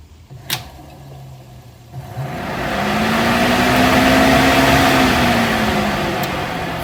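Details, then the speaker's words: Chevrolet Camaro IROC electric cooling fan powered directly from a battery through a test probe: a low whirring hum spins up, holds steady and eases off. The fan motor runs fine, so the owner concludes it is a relay wiring problem. "So, we're going to run this right to this and figure out can we get the fans to run? Huh?"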